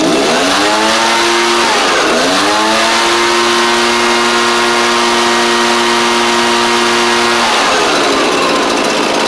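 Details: Echo PB755ST backpack blower after carburetor replacement (was quitting off choke, suspected bad carb diaphragm): crisp two-stroke buzz climbs cleanly, holds steady high pitch, drops and revs again without stumbling; normal running.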